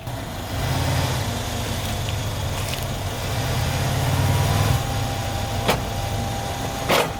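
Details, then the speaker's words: Mercedes-Benz CLS 550 that won't drive, front end seizing: steady idle with two sharp clunks about a second apart as drive is taken up; driveline binding rather than spinning, suspected broken front driveshaft/axle shaft. "that noise you're hearing is it's binding it's not spinning"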